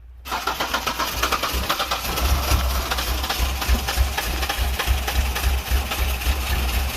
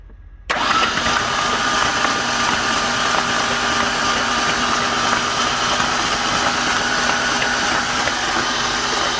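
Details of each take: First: Ford Ranger engine that was hydrolocked, started after pulling the plugs, cranking the oil out of the cylinders and refitting the plugs and coil. It catches after cranking and settles into a steady, even idle with no knocks or odd noises; runs healthy. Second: Ford Ranger engine hydrolocked with oil after the truck went on its side in a ditch: spark plugs out, ignition and fuel pump relay disabled, fast even starter whirr with no compression pulses, cranking to push oil from the cylinders.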